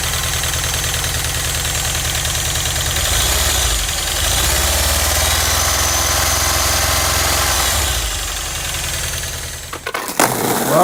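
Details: Volkswagen Vanagon Westfalia brought back to life after sitting, a week to start, with new spark plugs, air filter and battery: engine catches and settles into an even, steady idle with a low, regular beat, then shuts off near the end; runs cleanly.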